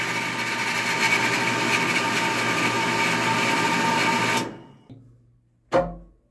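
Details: 1.5 hp water pump with pressure tank and pressure switch, tested after repair: steady, even motor whir with a light rhythmic pulse for about four seconds, then a clean shutoff; running healthy.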